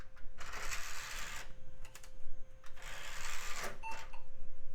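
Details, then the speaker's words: Mid-2000s budget PC optical drive trying to boot a CD-R: whirs up in bursts, pauses, spins again with faint steady whine, keeps retrying; struggling to read disc, possibly incapable of reading CD-Rs. "I heard it engage doesn't seem like it tried the cdrom boot but it also sounds like it's struggling it may not be capable of reading cdrs"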